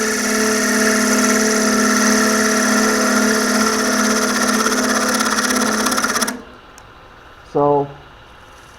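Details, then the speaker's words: Wood bowl turning on a lathe: a steady fixed-pitch buzzing hum that cuts off when the gouge lifts. This is chatter because the bowl wall is getting thin, with less support, and is flexing and wobbling. "so heavy you hear that vibration that's telling me that I'm starting to get thin and having support out there"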